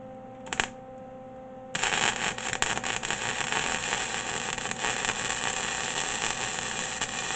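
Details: MIG welder that had stopped working now working; after a short hiss, a steady even frying crackle as the arc burns in properly at the higher setting: normal welding arc.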